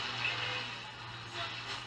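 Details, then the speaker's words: 1940 Bland Operatic Model C valve radio, barn find cut in half, before restoration: faint station barely above hiss after a touching tuning-capacitor plate was bent clear. Valves still need checking or replacing. Weak, noisy reception. "not very strong though you can probably hear that it's not very loud yeah a lot of noise there"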